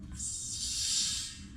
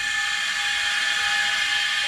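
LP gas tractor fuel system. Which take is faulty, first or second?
first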